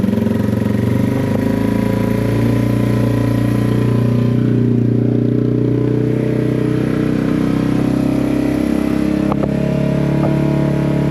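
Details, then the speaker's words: Yamaha TW200 single cylinder, started after long sitting post-theft with dead battery: steady slightly fast even idle with no misses on half choke; unknown if it runs without choke, bad gas or dirty carburettor suspected. "Well, it's running on choke, but I don't know if it's going to run on without choke. That's half choke. Not sounding too bad, is it?"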